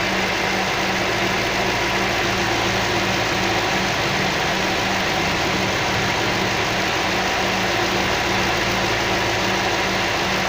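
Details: Toyota 3UZ-FE V8 fully warmed up, radiator fan running, after replacing three valves burned on LPG and rebuilding both cylinder heads: steady, even idle with a smooth low hum and no knocks or misses, running clean and healthy.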